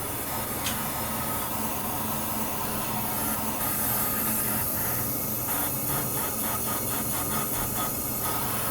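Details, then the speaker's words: Tractor-trailer air brake inspection with brakes applied: a steady hiss of escaping air over a quiet yard background comes from a small air leak, likely a busted diaphragm inside the brake chamber. "this chamber here would have a busted diaphragm on the inside of it"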